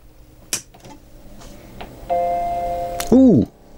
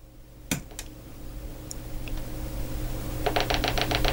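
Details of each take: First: Macintosh LC rescued from a recycling centre, powered on right after its power supply was replaced: a single clear startup chime with no odd noises alongside it, so normal boot sound (the monitor later shows a distorted picture). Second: Macintosh LC rescued from a recycling centre, after a new PRAM battery failed to help: quiet room, a few isolated clicks, then a fast run of sharp even ticks and no startup chime. A failing power supply is suspected, with a replacement PSU tried next.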